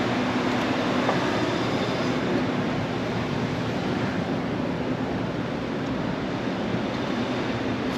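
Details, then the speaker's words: PoolPak RTU 13 unit fan: loud continuous rumble with a coarse grinding edge and a faint rapid beat, blade possibly rubbing; failing fan bearing, too bad to leave running. "That's got to be a bearing bed or something in there, huh?"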